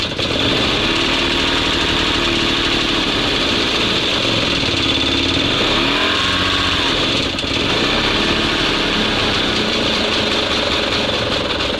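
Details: SMZ invalid carriage two-stroke (motorized microcar) after long storage, charging works, gearbox oil still to be added: raspy buzz that picks up and settles back smoothly with revs, vehicle moves forward and back; normal running.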